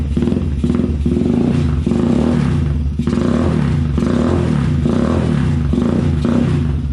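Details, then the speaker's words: Can-Am DS90X after porting head, setting cam timing and fitting Hetrick kit intake, carburetor (not yet fine-tuned), exhaust and clutch springs: loud eager single pulling through throttle blips, even beat, no knocks or clatter; sounds meaner, healthy. "Definitely sounds meaner."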